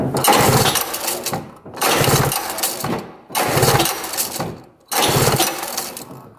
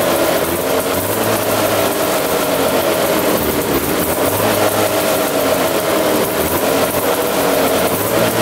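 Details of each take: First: 1970 Arctic Cat Panther 340cc snowmobile, sat untouched 30 years, believed to have points ignition, black wires disconnected; four cranking bursts about 1.5 seconds each, spins evenly but never fires; no spark found, stator voltage to be checked next. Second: 1970 Arctic Cat Panther 340cc two-stroke snowmobile, previously locked up and sitting 30 years, running before a compression check: steady, even two-stroke buzz with no stumbling or knocking; normal running.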